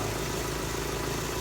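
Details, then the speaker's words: Toyota Corolla with Toyota 2E carbureted engine after fixing rough idle by setting ignition timing to spec, tuning the carburetor and correcting vacuum lines: smooth, even idle with steady low hum, no stumbles, misses or hunting; now quiet and settled. "So yun na mga kaibigan, nakuha ko na yung tono niya talaga. Yan na siya. Tahimik na siya. Payapa na yung andar."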